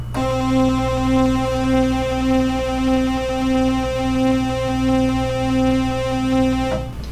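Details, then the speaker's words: Oberheim OB-8 analog synth held note with a soft click about 1.5 per second following the oscillator 2 vibrato LFO rate on square wave, audible where it shouldn't be; fixed by replacing capacitors, likely tuning sample-and-hold, on a voice board. "but with everything the way it is we shouldn't hear any effect at all but we hear this clicking"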